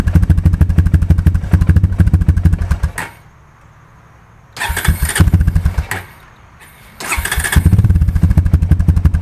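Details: 2002 Honda TRX250EX quad left outside under a tarp for 10 years, first start after fuse replacement and fuel additive: fast single-cylinder idle with coarse knock each beat, cutting out twice; stethoscope places knock near the clutch, owner hopes clutch adjustment fixes it.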